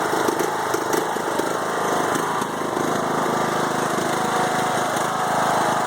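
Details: 5-year-old Craftsman mower, Briggs & Stratton Intek 20HP twin, after head gasket replacement following hydrolock (smoke gone): idle stumbles unevenly, bogs after mowing a while; rough idle, cause unknown.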